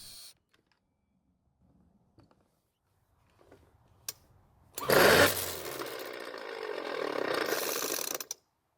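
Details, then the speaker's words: Poulan Pro pole saw test run after reassembly with the clutch, which holds the flywheel to the shaft, left off: quiet, then a sudden harsh bang as it catches, three seconds of rough screaming run, then it dies. Flywheel key sheared. "I then went through the steps for a test run but during the test run the flywheel was able to share the key and now I made my job a whole lot harder"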